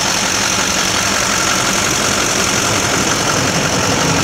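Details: 2004.5 Duramax 6.6 LLY diesel idling with an intermittent loose, uneven clatter and a faint whistle, a rough idle; it persists despite a new fuel filter and air filter, a cleaned MAF, and greased injector connectors.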